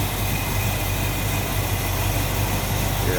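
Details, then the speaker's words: 1965 Ford Mustang coupe, A-code 289 V8 with Edelbrock 4-barrel, automatic, Pertronix ignition, new plug wires, heard at the open engine bay: steady, even low idle rumble with no misses, knocks or ticks; runs smoothly. "how smooth that runs. Nice and tidy and neat."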